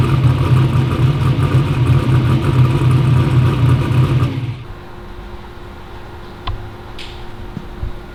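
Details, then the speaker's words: "Black Sheep" V8 race car at first fire-up after new injectors; deep lumpy rumble pulses evenly for about four seconds, then a clean shutoff; runs strong and smooth. "we got it to where it runs good. Those injectors fix the EGT problems."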